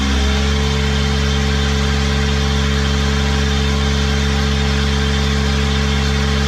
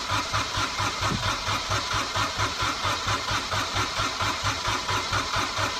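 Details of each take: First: Small Kubota diesel driving a hydrovane air pump, running after a new 8-tooth-pinion starter fitted; steady, even low throb at one speed, no knocks or misses; normal diesel idle, though the pump makes no air and stalls when the tap is shut. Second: Small Kubota diesel, cold (about 1°), newly fitted starter with 8-tooth pinion, heat position on and fuel pump running; strong even cranking about 1.5 compression pulses a second but never catches; owner suspects glow plugs not working.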